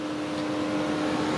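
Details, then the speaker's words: 2012 Chevy Cruze at idle with the check engine light on and a possible high-temp message: the radiator fan is always on at high speed, a steady loud whooshing roar with a constant mid tone over the engine. "the retro fan is always on on high speed"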